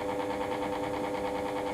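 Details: Fan running: an even, smooth, steady hum with no rising buzz or rattle. The fan motor runs normally here; the concern was fan noise when powered through a DC-to-AC power inverter.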